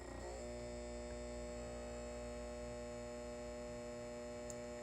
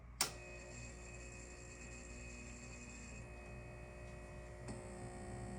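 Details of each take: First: Halco/ProLume 70W high pressure sodium lamp, aged and cycling: steady low mains hum with buzzy edge from the magnetic ballast, normal ballast hum. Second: Old Halco/ProLume 70W high pressure sodium bulb with blackened arc tube cycling at end of life: steady mains hum and faint buzz, ballast loud at start then quieting as the arc extinguishes.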